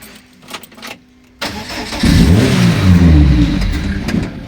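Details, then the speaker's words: 2001 Lotus Elise that would not start, fuel pump humming, two wires bridged: brief crank, engine catches and runs a few seconds then dies, repeating every time; stalls after start. "всё машина заглохла повторяем процедуру точно также ведёт все"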